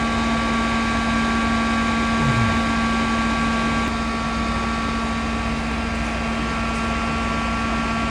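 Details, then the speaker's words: Mosquito Magnet trap powered on with propane slowly opened while troubleshooting: even fan hum with a faint single click partway through as the gas solenoid opens and propane flows; igniter glowing, unit working normally. "I'm going to reach in here, turn the power on, and now we're going to wait until you hear the solenoid click, and we will hear it."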